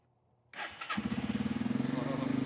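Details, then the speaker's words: 1985 Suzuki Quadrunner single-cylinder ATV, after chain tensioner and chain repair: brief starter spin, then it catches right away and settles into a quick, even putting idle; starts clean. "Mashed the choke in and miraculously started. I don't even really know."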